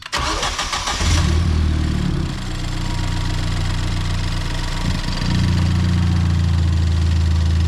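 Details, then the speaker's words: Ford Fiesta ST started right after new spark plugs were fitted, checking for misfires: a quick crank, then a clean catch into a smooth, even idle with no stumble; normal start and idle. "Yep. She is sounding good."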